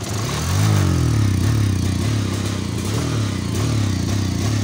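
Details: Bajaj Pulsar 150 with a misfiring, hesitant complaint: uneven, stumbling exhaust beat that surges and drops when revved instead of climbing cleanly. Misfire.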